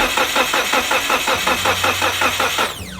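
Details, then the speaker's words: Mitsubishi Evo 8 first start attempt in five years: starter churns about five beats a second, never catches; rail has fuel pressure but injectors not spraying, plugs bone dry; crank no-start, no injector pulse. "For some reason, the injectors aren't spraying. We have fuel pressure. We verified that there's pressure going to the rail."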